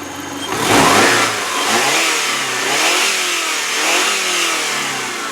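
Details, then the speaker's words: 2003 Subaru Legacy Outback 2.5 L boxer flat-four, belts look new (timing belt likely changed), no head gasket leaks or smoke: revs up and settles three times with clean rising and falling pitch, no high-rev knocks or valve train noise; healthy revving. "as you can hear by the engine there's no High Rev uh knocks there's no valve Trin noise"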